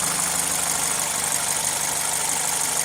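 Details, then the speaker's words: Another Toyota (comparison car with air injection system, not the faulty Celica) warm at operating temperature: steady, even idle around 750 rpm, below 1000 rpm, smooth hiss on top, no knocks or misses; healthy warm idle. "the idle RPM looks to be below 1000 RPM at operating temperature"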